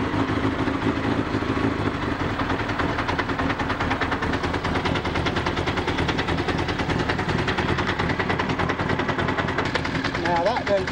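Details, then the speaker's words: Honda CBR1000F project bike: loud, fast metallic rattle (about three per second) over a steady rough idle, heard from the rear of the engine; owner suspects the clutch, not confirmed. "Well, that's alarming. Yeah, it sounds back here as a clutch. Well, okay, it's just something to do with a clutch and it's not something major."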